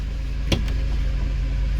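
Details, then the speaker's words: Mercedes SLK230 Kompressor after replacing ignition cables for a misfire: steady, even low idle with constant revs, no surging, coughing or odd noises; running smoothly on all cylinders. "empezamos sin problemas veis la revolución estará en constantes nos vienen ruidos raros"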